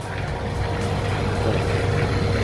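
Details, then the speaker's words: Clothes dryer fan after its worn bearing was replaced with an identical new one: a steady, smooth whir with an even low hum and no rumble or grinding; before the repair it sounded like a tractor. "I radi savršeno. I malo kad se odmaknemo, skoro i da se ne čuje. Prije se čula kao traktor, kamion da imamo u sušilci."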